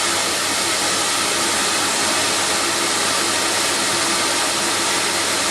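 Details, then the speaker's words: Record Power CamVac CGV286 dust extractor, both motors running with both baffle tubes fitted, exhaust air extracted elsewhere, 75 dB; loud even air rush, high-pitched squeal gone; normal running. "we're down to 75 there and although we still have a high decibel reading the noise has the high pitch squeal from the machine is stopped because I'm extracting the air elsewhere"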